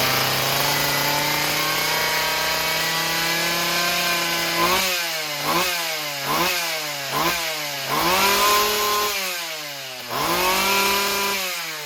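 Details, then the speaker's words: Chainsaw after freeing stuck carburetor needle, throttle rod not reattached: steady high buzz and quick blips rising and falling cleanly; runs properly. "there you go it's all it was with a stuck needle in the carburetor could have been other things but that's all it was on this"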